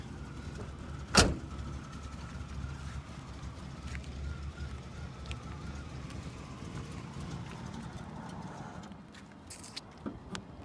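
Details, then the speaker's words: 1985 Oldsmobile Delta 88 Royale Brougham, original 307 V8, carbureted: low, uneven idle rumble that sags, barely staying running; unstable idle, owner suspects carburetor needs adjustment and possibly fuel filter, needs tune-up. "okay maybe I do so like I say it needs a bit of a bit of a tuneup I mean Definitely Maybe a fuel filter uh it starts good I think it's just mostly the the carburetor just needs to be adjusted"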